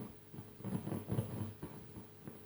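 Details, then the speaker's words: NAD 300 amplifier at high volume. Irregular faint crackles and scratchy bursts come through as the front potentiometer is turned, a scratchy pot to be treated with contact cleaner. "hear it quite loud this one too volume seems to be okay maybe a little bit"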